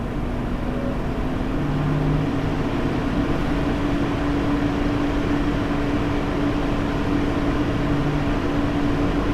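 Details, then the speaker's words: Lian Li 217 Infinity PC case, stock Lian Li fans at 100%: constant airy roar with thin steady high-pitched "e e e" tone and faint intermittent lower hum; owner blames fan setup resonance, silent at 500 RPM. "The sound you need to be attention is a high-pitched sound, and it's something like e e e."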